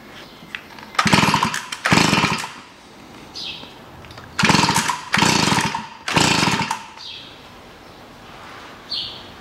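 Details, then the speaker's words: Stihl FS 55 two-stroke trimmer, run the day before then would not start: spark present, plug flooded and dirty; suspected too much oil in fuel mix; each pull sputters about a second then stalls, never keeps running. "на следующий день пошли пить косить завести не могут дергают дергают нет не запускается"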